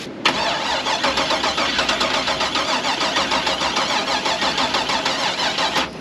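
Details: LS-swapped K5 Blazer after sitting all winter: about five and a half seconds of fast, even starter cranking with a regular pulse that never catches; cranks but won't start.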